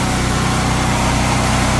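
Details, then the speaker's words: 7,000-watt portable generator running a 3.5-ton AC condenser fitted with an ICM 870 16A soft start module: steady, even engine drone with a constant low beat, holding speed without sagging under the load; running healthy. "generator didn't make a sound didn't bog down didn't bog down at all"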